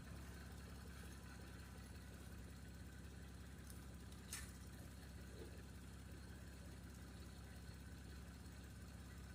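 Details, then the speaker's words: 1989 Toyota Cressida that sat for years, just revived: quiet low rumbling idle, steady even rhythm, no knocks or rattles; brief smoke at startup already cleared. Normal idle. "Alright guys, that was it. It started. Smoke there a little bit at first, but it's already cleared up."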